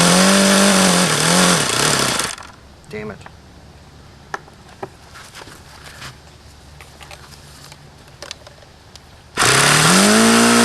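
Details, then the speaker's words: Used HP VT 21 rotary-valve four-stroke model engine: buzzy, wavering, hunting run; won't idle below about 4,500 rpm, still rich on the low end despite leaning the low-speed needle and changing plugs; cause unknown. "this one just doesn't make any goddamn sense at all as to why it won't idle down and why it sounds like no matter how much I lean that low speed out it doesn't change it always sounds crappy it won't idle below maybe 4500"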